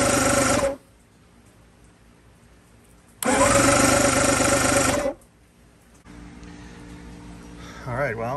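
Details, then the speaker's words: 1996 Evinrude 150 outboard after starter replacement, motor out of water and unprimed so turned over only: two bursts of brisk, even cranking with no grinding or slipping; starter works fine. "i went ahead and turned the motor over a couple times you'll hear here in a minute that it works just fine"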